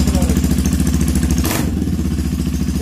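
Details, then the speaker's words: Honda CB250 single-cylinder with new top-end components, previously making a strange dragging noise when cold, now starts and idles with steady even beat and clean rev blip, good top-end lubrication, no ugly noises; normal idle and revving. "no tiene ningún ruido ningún ruido feo tenemos lubricación bien arriba y ahí está el el motor solo ruido de motor no hay más"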